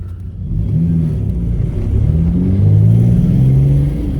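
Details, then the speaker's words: 1997 Mitsubishi 3000GT SOHC chasing a misfire after injector swap; pulls up, then the deep drone stumbles and pulses unevenly under throttle, sputtering. Spark was cutting out from a poor ignition coil ground. "Sputtering though. Oh shit. Yeah, I think the fuel pump's done."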